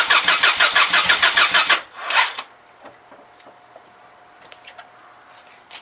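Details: 1995 Subaru Legacy cranking for its first start since August after work (turbo relocated, engine painted), with smoke coming off the battery. Quick rhythmic cranking for under two seconds with no firing, then it stops; something probably ought to have been hooked up.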